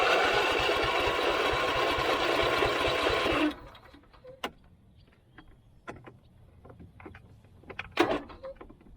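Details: Husqvarna YTH24V48 riding mower twin, no-start, started on choke with a deteriorated fuel-pump vacuum line: harsh, uneven buzzing run for about three seconds, then it quits; one cylinder dead because its spark plug is missing.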